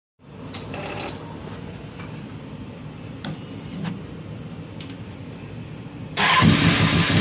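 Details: 2006 Kawasaki ZX10, 45k miles, no compression in cylinder 1, smashed spark plug, no smoke or metal in oil: lumpy idle with irregular knock about two per second, louder on a blip; suspected rod knock, unconfirmed.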